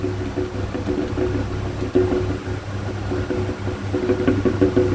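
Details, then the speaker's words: Sharp electric fan on speed 1, fairly new with no bushing play, gives a low motor hum with an uneven throbbing knock as if something inside is striking. "เนี่ยมันน่าจะดังอย่างงี้เนี่ยมันเสียงดังงี้เหมือนอะไรคอนอยู่ข้างในนะครับ"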